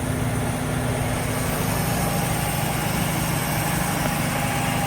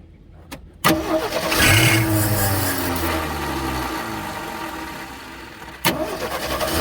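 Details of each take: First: AMC Hornet manual (three-pedal) car, parked for years, idling: a steady, even, smooth low rumble with no knocks or misses. Normal idle; the engine sounds healthy. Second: AMC Hornet inline-six parked for years: short crank then fires and settles into a low uneven idle, blipping once more; runs after fuel poured into the bowl, harmonic balancer coming apart and vibrating.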